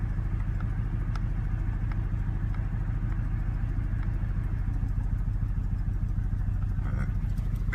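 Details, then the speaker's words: 2015 Mustang GT 5.0 V8, second occurrence with check engine light on: deep, lumpy, very rough idle, smelling very rich, with boost vacuum off and air-fuel ratio near 20; cause unknown, hard restart afterward, then runs fine. "this is the second time my Mustang has done this it's idling extremely rough and uh the check engine light is on"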